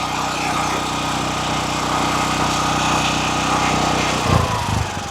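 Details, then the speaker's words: DuroMax XP13000EH dual-fuel generator after an oil change, warmed up, no load, idle control switched on: steady no-load running, then smoothly drops to a lower economy idle; healthy, normal idle control. "There you go. It must have been warm enough for idle control to work, because now it's just controlling the idle. Since we have no load, it's just going to go on that."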